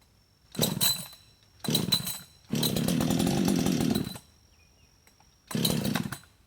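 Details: Husqvarna 562xp chainsaw, hot after about 15 minutes sitting in sun at 91°F and ~100% humidity, run position, decompression off: repeated rough pull-start bursts, cranks but won't start; primer bulb not pulling fuel, owner suspects vapor lock.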